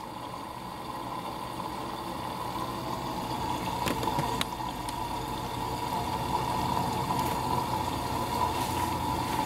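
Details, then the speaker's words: Midea HealthGuard Smart 13kg (MF200) washer on Cama e Banho cycle, white cotton load, glass measured about 51.8°C: water rushes steadily into drum with soft hum and clicks, adding for the main wash, display at 1h16; normal fill. "51.8 deu agora pouco pessoal tá adicionando água agora para fazer a lavagem principal tá o display tá marcando 1 hora e"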